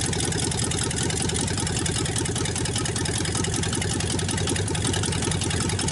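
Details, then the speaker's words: 1954 Ford Y-block 239 V8 on its first start in 20+ years, after correcting the plug wiring order: loud, steady, lumpy exhaust idle with very little smoke, no knocking and no lifter ticking. "Nothing wrong with that engine. Very little smoke. No knocking. I don't hear no lifters tapping."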